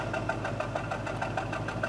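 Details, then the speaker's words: 2004 Jaguar S-Type petrol engine idling with a pulsing, slightly uneven beat and shaking: a misfire at idle, before replacing all spark plugs and coil packs. "I wanted you to hear the misfire a little bit of misfire there shaking a little bit so this is what the misfire sound like"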